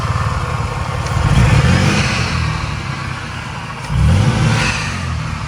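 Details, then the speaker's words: Supercharged VQ35 V6 Nissan Maxima, newly boosted and not yet tuned, idling slightly rough with a deep uneven beat and small surges; it is running rich, preferred over the lean running it had naturally aspirated. "you can hear the idols a little but it's like not that bad it's just running rich i'd rather this car run very rich than run lean"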